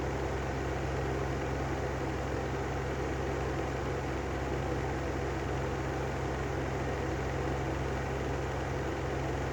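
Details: Brand-new Lanson style 3 exhaust fan: steady low hum with rough even rumble at constant speed; bad motor bearings.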